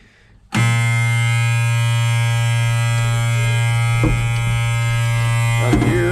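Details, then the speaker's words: Auction machine: the engine catches and jumps straight to a high, steady buzzing race that never drops to idle. It sounds like it is running away, so it is shut down. "all right well it runs but it sounds like it wants to run away so we'll go ahead and shut that down before we blow something up"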